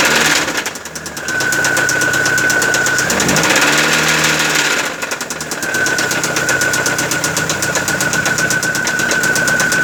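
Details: Car engine with loud engine noise: steady run with sharp metallic knock, about four per second, over the idle; diagnosed as connecting rod knock (batendo biela).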